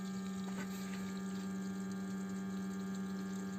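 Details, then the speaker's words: BMW E60 520i auxiliary electric water pump, ignition on and engine off during coolant change and bleeding, steady hum with watery rush, louder after squeezing a hose; possibly air reached the pump. "s'entend maintenant un peu plus car je lui ai donné une forte pression sur ce tuyau et vous pouvez voir que peut-être de l'air l'a atteint et vous pouvez l'entendre un peu plus"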